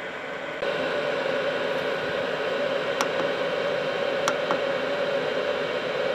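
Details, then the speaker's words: Cheap Chinese eBay diesel night heater, fuel filter previously replaced, cooling down after switch-off while still very hot; fan keeps running, glow plug comes back on: steady even fan rush stepping up at switch-off, a couple of faint ticks; normal cool-down cycle. "t's now just cooling down it's still very hot the fan will keep going for some time just to make sure everything really has cooled down"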